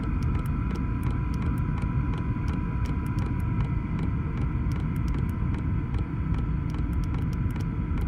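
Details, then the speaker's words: Chinese Vevor parking heater (5 kW unit limited to 2 kW) in a van: steady blower rush with a soft fuel-pump tick two to three times a second as the pump frequency is lowered, the pump slowing and heater running normally at reduced rate. "et là sur l'afficheur en Hertz la fréquence qui diminue et j'entends aussi la pompe qui ralentit"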